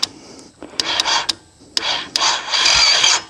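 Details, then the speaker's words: Honda Shadow 1100, likely 2007, about 20,279 miles, sat for years, on a winch battery with the ground moved to the engine/frame: short, sluggish starter whirring without the engine catching, as the starter turns weakly on low battery strength. "You will get that starter to turn, only we don't have a whole lot of strength to it."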